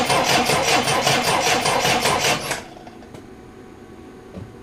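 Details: Triumph Dolomite after static ignition timing was set: the starter churns steadily at about three to four beats a second for two and a half seconds and never fires. A test at the coil's positive and negative terminals shows no power to the coil.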